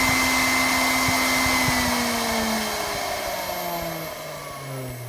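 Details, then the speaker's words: R8 spindle after shank retrim and 35mm insert, mic close: coasts down from top speed, pitch sliding steadily lower over five seconds with no hum or rumble; healthy quiet spin-down confirming the modification worked. "wind down, no humming whatsoever. So that's good."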